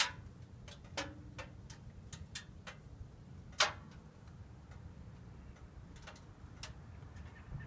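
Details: Subaru right after engine shutdown: sharp, irregular metallic ticks over a faint low rumble; owner unsure whether it's a worry or just the engine cooling off.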